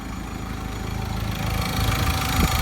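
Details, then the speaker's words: Ford Ranger T6 2.2 diesel, first cold morning start after remap meant to cure startup engine noise, heard from cabin: even clatter rising smoothly with revs, no knocking; noise resolved. "นี่เพิ่งสตาร์ทเครื่องยนต์ตอนเช้าครั้งแรกเลยนะครับนี่ครับอาการเคกไม่มีได้ยินเสียงเลยนะครับหลังจากทำการรีแมปนะครับ"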